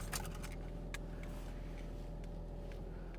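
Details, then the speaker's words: Ford Mustang EcoBoost 2.3-litre at a Copart auction yard, idling in the cabin with the AC on and no check engine lights. Quiet, steady low hum with a few light cabin clinks and no ticks or misses; normal idle. "Not seeing any check engine lights. Sounds good."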